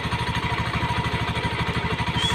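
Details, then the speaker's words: Honda Beat FI scooter idling rough; steady fast metallic rattle like broken glass or plates over single-cylinder idle, suspected from CVT area, possibly bearing or clutch plates, before disassembly. CVT clutch rattle at idle. "seperti kemelinting-kemelinting seperti ada pecah-pecahan kaca seperti Ada pelat-pelat yang berbunyi di dalam G dan sini e di bagian SP"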